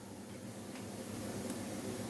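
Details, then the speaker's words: Shure UGX9/UGX9II wireless mic receiver under repair: steady even background hiss in the audio output, slightly louder as level rises, traced to the 6 mm output jack. "giờ sôi này các bạn nghe tiếng sôi không Xì xì đó nào mình tắt tay đi Này bây giờ nó mới sôi các bạn nhá đấy xì xì đấy"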